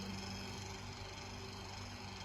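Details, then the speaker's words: Room Essentials "Velocity" F-0411 one-speed desk fan, dated March 2011 and apparently never used: a quiet steady hum with a faint scratchy, chirping rub. The owner thinks the rotor is skipping on the stator, or possibly the blade; not confirmed. "i don't know what that noise is though i don't know how badly i want to get to the bottom of it either i think that's the rotor i think that's the rotor"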